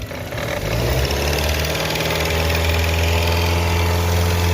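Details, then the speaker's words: Engine at idle and light revving with a rough, rapid knocking riding over it that follows the belt drive; customer complaint of a strange noise, traced to a worn A/C compressor, confirmed by removing the accessory belt. "el compresor de aire acondicionado amigos acá tenemos un problema un ruido extraño en este vehículo según nos comenta el cliente"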